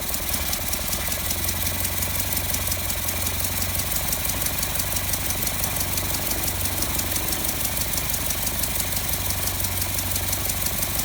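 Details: 1955 Land Rover Series One, rebuilt engine first start attempt after about 50 years, timing being set at distributor: steady churning about three beats a second never settles into a clean run; owner suspects fuel pipe connection. Hard starting, will not keep running.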